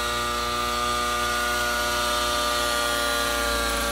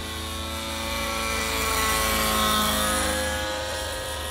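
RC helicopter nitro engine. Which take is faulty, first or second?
second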